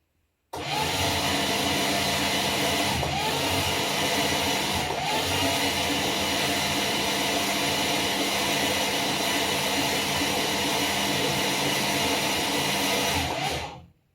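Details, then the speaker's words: Freshly built Mopar Slant Six with break-in oil, cranked with the plugs out to build oil pressure: a steady, even, rough-edged starter whir with no compression beats. It sounds exactly like a normal Mopar starter; no oil pressure shows yet and fuel drips from a leak. "I remember Chrysler sounding really... Sounds exactly like a Mopar starter to me."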